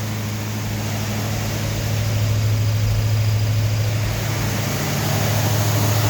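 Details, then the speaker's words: Rebuilt Ford 302 Windsor V8 on camshaft break-in with a new exhaust, running about 1500 rpm, about 10 minutes in, water temp and oil pressure good, choke held open with a screwdriver. Deep, even exhaust rumble, no ticks or knocks; a normal fast idle. "The idle up a little more to break it in."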